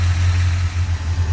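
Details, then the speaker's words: Car started after a year and a half unused, with new spark plugs: low, steady idle hum, even beat, no knocks or ticks, with a known exhaust leak; engine idles smoothly and quietly, no leaks. "okay the startup test was a success no leaks um motor sounds really good and quiet smooth"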